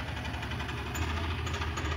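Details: Maruti Suzuki Alto 800 commercial, low rhythmic knocking under a rough idle keeping time with engine speed; opened sump showed worn, cut connecting rod bearings, blamed on oil never being changed on time.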